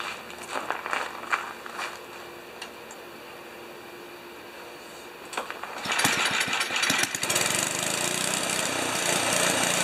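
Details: 1973 Tecumseh single-stage snow blower engine after carburetor reinstall and leak check, augers always turning while running. Picks up after handling noise and holds a steady, even run with no misses; normal running.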